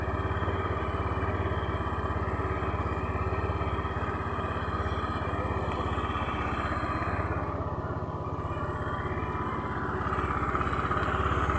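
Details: Honda Beat fuel-injected scooter (rough-start version) being checked for stumbling on initial throttle; steady, even low putter at about three and a half beats a second with no misses or stumbles, a healthy idle after restarting with double starter.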